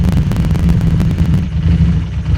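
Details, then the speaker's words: Harley Street 500 chassis (17k miles) with a fresh 750 engine (60 miles), warm-up idle around 96 degrees: the uneven, lumpy V-twin idle bounces between 13 and 16 and tends to stall. Throttle plates barely open; poor fuel tune causes unstable idle. "but this is a warm-up idle now you can see the idols getting a little bit disturbed it's bouncing between 13 and 16 it was back to smoothed out"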